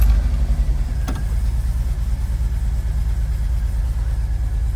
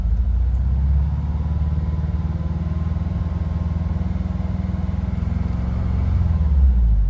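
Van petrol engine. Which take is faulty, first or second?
second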